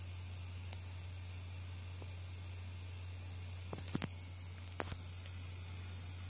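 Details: EVGA GTX 970 graphics card: thin, steady electrical buzz over faint hiss with brief crackles, typical graphics card coil whine.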